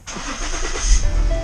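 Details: 2016 Ford Explorer, about 20,000 miles when bought, after battery replacement for a no-start: short brisk crank, catches at once into a steady low idle; normal start.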